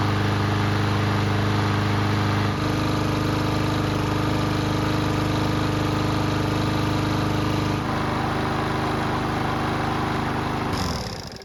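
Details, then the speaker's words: Yard Machines mower that wouldn't start due to bad fuel, now repaired: starts right up and holds a steady, even drone at fast idle with no misses, then winds down cleanly. Normal running. "So it started right up, and it sounded pretty good too."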